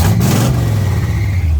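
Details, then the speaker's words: 1970 Chevy C10 truck first drive in many years: short deep V8 rev, uneven and lumpy; runs terrible, owner says not timed and carburetor needs work, possibly bad gas; belt squeak also noted. "oh it runs terrible it's not timed the carburetor is always crap"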